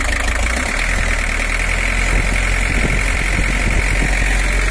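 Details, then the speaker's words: 1984 Toyota Hiace LH11 diesel with overheating, idling after a cylinder head service that skipped crack and warp checks: a rough, overly loud clatter. Coolant bubbles then appear, pointing to a cracked head or block. "Suaranya masih normal, teman-teman. Agak terlalu berisik. Ini tidak terdengar seperti LH11 pada umumnya."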